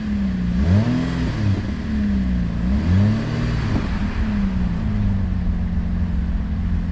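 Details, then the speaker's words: Car engine climbing and falling through a few revs with a loud, raw, unmuffled low rumble from a broken, leaking exhaust pipe. "Ito yung tunog ng Tambucho eh."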